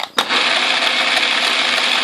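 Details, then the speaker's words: Atlas QC42 lathe gearbox mid-repair, change gears engaged on a test run while noise is being chased, at least one gear still to fix: dense, crumbly rattle with steady gritty chatter; tumbler gears have too much lash and wobble. "I would like to push in order to get rid of play like look at look how wobbly this is that's terrible"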